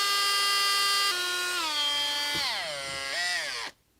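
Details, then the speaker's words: Makita XPH cordless hammer drill run free after a battery was fitted, smelling like it's burning with no smoke yet. A high motor whine sags and wobbles in pitch, then cuts out. Abnormal motor noise, cause unknown. "it smells like it's burning big time see this is how the xph sounds this doesn't sound good at all"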